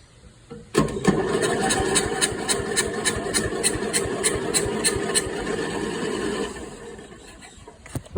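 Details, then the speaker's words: Toro fitted with a used 12.5 hp Briggs engine from another machine, cranking with fuel and choke: fast, uneven cranking at about 3.5 turns per second with little resistance and no firing; owner suspects a stuck valve and no compression, not confirmed. "Definitely sounds like it's got a stuck valve. Sounds like it ain't got no compression."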